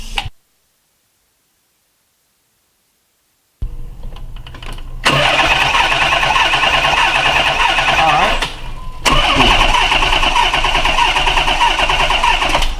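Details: 1990 Nissan 300ZX that bogged down after a coolant and heater core flush and won't restart. Compression and spark good. After a pause, steady even cranking for several seconds, never firing or picking up; owner suspects a loose sensor, the crank angle sensor or fuel.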